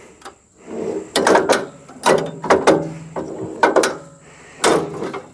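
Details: SuperSplit kinetic wood splitter, 16 years in use: irregular bursts of sharp wooden clunks and ratcheting, about five in as many seconds, from the rack skipping because the handle isn't lifted firmly.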